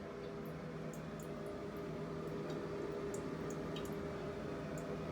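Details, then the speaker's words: Steady hiss of running water with no rhythm heard behind a shower wall; the reported shower leak is said to come from the wall, which the plumber doubts, so the source is unconfirmed. "Your shower's leaking. They say it's coming from the shower wall. I don't believe that."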